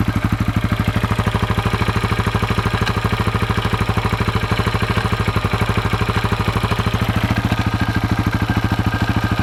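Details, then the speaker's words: 2004 KTM 640 LC4 single-cylinder, 38,000 km, started after 10 days unused; regular tac-tac clatter on the left side at idle and low revs, stops with gear engaged and clutch held, sometimes squeaks; cause unknown: engine ticking at idle. "même quand je roule à bas régime ça claque un peu tac tac tac tac et des fois va grincer un peu même et je sais pas ce que c'est"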